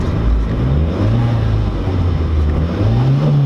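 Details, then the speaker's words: Chrysler TC 16v under restoration, warmed up after short drives, not overheating, temp slightly above normal; low even engine note swells cleanly with throttle blips, no stumble or popping; smooth running, though owner says it still sputters back a little. "doesn't sound like crap anymore I mean it does cyl back for a little bit but what car is not going to you honestly oh so nice"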